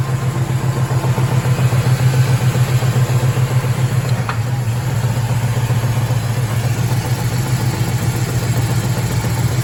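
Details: 2004 single-cab truck's old V6, due for a V8 swap, found badly overfilled with oil. Steady deep knock about four per second over a rough idle; rod knock or torque converter bolts are suspected, not confirmed.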